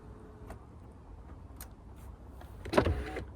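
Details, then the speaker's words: Jaguar XK8 project car that had been a no-crank, no-start, window tried after switching off and back on. Soft clicks, then a smooth half-second motor whir at steady pitch with no grinding; the power window works again. "Oh yeah, that worked. Yeah, that's working."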